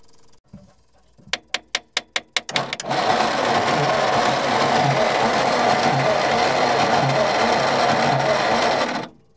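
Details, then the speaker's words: Old petrol Bedford tip truck, roughly early 60s–mid 70s, sitting 10+ years: clicks then cranking about three turns a second without catching; no spark, owner suspects condenser or coil. "No spark. Condenser could be crooked. The coil could be crooked."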